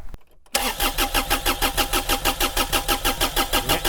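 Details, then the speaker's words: Mini-excavator diesel, old fuel, cranking while air is bled and diesel brought up to the injectors: steady starter cranking, about three compression beats a second, never catches; engine not yet primed. "Alors, est-ce que le gasoil va venir au niveau des portes-injecteurs?"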